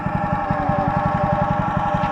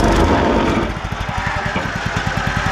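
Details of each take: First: Wacker WP1550 plate compactor running: fast even pounding about eight thumps a second with a steady mechanical drone over it; worn bearing suspected, replacement bearings on order. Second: Wacker WP1550 plate compactor bought cheap at auction, after belt work and re-torquing: engine picks up and the plate settles into a strong, even thump of about four beats a second, steady throughout; clutch engages and it works as it should.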